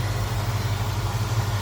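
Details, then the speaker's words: Idle of the 289 V8 in a 1966 Ford Mustang convertible, hood open. A low, even rumble with a steady beat; the engine barely wobbles, sounding smooth and quiet with no misses or knocks. A normal healthy idle. "Look at how smooth that runs. Engine doesn't hardly wobble, if at all, and sounds good. Nice, smooth, and quiet."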